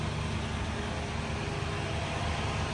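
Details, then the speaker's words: Lexus GX 470 V8 idling after a Magnaflow overland exhaust replaced the OEM exhaust, cold 10° day: deep steady smooth burble, mostly engine noise, no knocks, ticks or misses; healthy. "woo damn this thing sounds great most of the noise you hear is coming from the actual engine"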